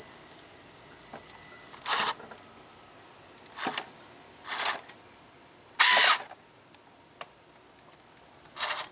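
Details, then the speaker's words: Holmes Hobbies Torque Master BRXL ESC on an RC vehicle sitting on a desk: thin, steady high-pitched whine from the small brushless motor at low throttle, with brief whirring spurts on throttle blips; quiet mode is meant to eliminate this. "if I give it a little throttle here you'll hear that whine there it goes you guys hear"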